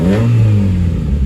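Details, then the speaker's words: 1990-93 (CB7) Honda Accord after alternator replacement fixed a battery light from undercharging: quick rev rises and falls smoothly with deep engine note, no belt squeal or chirp; healthy. "Give her a quick rev, make sure there's no belt squeal."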